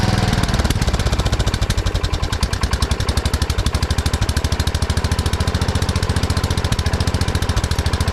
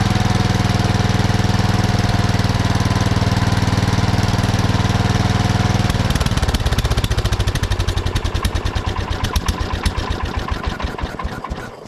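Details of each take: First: 1979 Kohler K301 12 hp single-cylinder mower engine after electrical and carburetor repair: fast, even pops at a clearly high idle; carburetor idle adjustment set too far. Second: 1979 Kohler K301 12 hp single-cylinder after carburetor readjustment: strong, even chug, runs well wide open, then winds down to a stop after shutoff; throttle shaft slightly affects idle, otherwise normal running.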